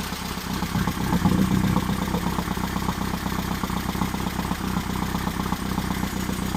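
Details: Engine on third start-up attempt for cam break-in: idle a bit low, no tachometer; uneven but steady low putter about four beats a second, no knocks or rattles; oil pressure held; leaky oil cooler; healthy idle.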